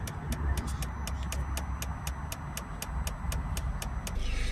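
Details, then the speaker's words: Peugeot Boxer 2.0 diesel after 2 litres of DPF additive were added to the tank, pump run via a diagnostic reservoir-replacement function: sharp regular ticking three to four times a second. The additive pump is priming normally, about 10 minutes. "Then when it's working there, you'll hear the pump ticking. That'll tick for about 10 minutes."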